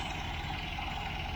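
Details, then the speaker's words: 1967 MGB Mk1 at idle after carburettor refurbishment and tuning: steady low idle with slightly uneven, lumpy beat and hissy top; still idling rough, vacuum leaks suspected, later found. "So you can see the engine's still not idling the way I would like it to. And I've decided to investigate a little bit further. So what I'm going to do now is just check for vacuum leaks."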